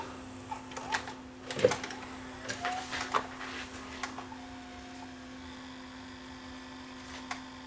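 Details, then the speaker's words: Samsung SV-5000 multi-system (PAL/NTSC) VHS VCR after repair with replaced out-of-spec part: steady low mechanism hum, a few clicks and clunks as tape loads, then smooth quiet running; normal playback, about to test rewind which previously ate tape. "and there we have playback and let's just try all the modes"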